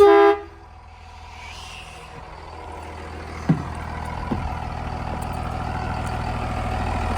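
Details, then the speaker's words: Air horn on bus 46, used as the reference for a healthy horn while bus 43 (2000 Blue Bird TC2000 FE, 5.9L Cummins 24V) is stuck on one note: a short, loud, full brassy blast, then quiet idling, a normal air horn. "We'll go over to 46 and I'll show you what it's supposed to sound like. This is what that air horn is supposed to sound like."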